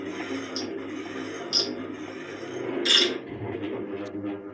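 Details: Ceiling fan deliberately rigged to make noise: irregular rasping scrapes, about one per second, as something rubs while the fan turns.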